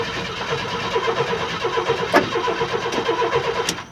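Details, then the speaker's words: 1994 Astro van, no-start troubleshooting: after fuel pump is heard priming, engine chugs unevenly a few seconds then stalls; owner suspects a power supply problem at the fuse block, unconfirmed. "and it did start and run for a second then it stopped so I suspect I have a problem with power to the to the"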